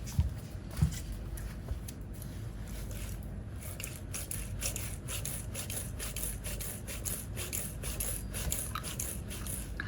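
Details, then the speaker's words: KTC Extreme rear shock after one year of use, right-side unit hand-pressed with preload raised to the top (said to be standard): a rough scraping squish with each press, once or twice a second. Owner suspected this shock was leaking; rear shock is noisy under compression. "udah ada bunyinya cuy untuk yang eh iya benar yang kanan kan tuh kayak gini udah ada bunyinya ini sekarang gokil"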